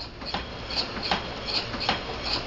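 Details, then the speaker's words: Homemade steam engine of off-the-shelf parts on about 8 psi of compressed air: a light, even tick-tack about every 0.4 seconds, steady and unhurried, running cleanly and normally. "8 lb of compressed here and you're going to get a tick and a tack"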